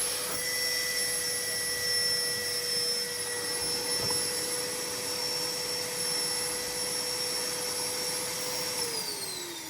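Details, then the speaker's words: Numatic Henry HVR200 vacuum after fitting homemade motor brushes, machine long damp: steady high motor whine then wind-down; runs better but not right, owner suspects a cooked winding. "It's definitely better than it was. It's not right. It smells a bit ary, but I might just leave it outside running for half an hour and see if it wears in. Like it might might have cooked the one of the windings."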